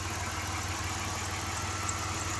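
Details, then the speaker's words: 1993 Dodge Grand Caravan LE: steady smooth idle hum, no ticking or misses; normal idle. "other than that I think it's I don't know most of this as I got it runs pretty good"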